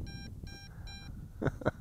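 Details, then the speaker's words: MJX Bugs 2W GPS FPV drone in open-desert flight about 120 m away: the controller gives three short, evenly spaced high beeps as a low flight-battery warning at two battery bars, then wind and handling noise; return-to-home did not engage. "but it does warn you it gives you plenty of warning hear that beeping I still got two bars of battery so you get plenty of warning"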